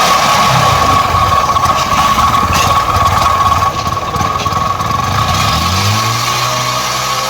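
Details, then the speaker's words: Bajaj Discover 100cc engine run after adding half litre Harpic with 400 ml petrol as an engine-cleaning test; very loud harsh mechanical racket with rising tone; seized piston and damaged bearings, engine needing full opening. "Engine आके पूरा sound आके चालू हो गया, बहुत ज़्यादा sound आ गया engine में आके।"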